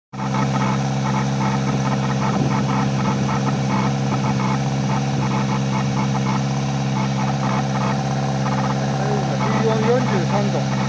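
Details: Kawasaki ZX-4RR at idle: steady hum with a rapid, uneven chattering rasp heard from the air intake, an abnormal intake noise.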